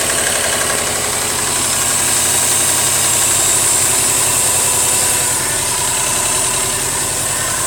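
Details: 2008 Subaru Legacy GT idling with a sharp, regular tapping about four per second over a loud hiss; owner suspects rod knock, not confirmed.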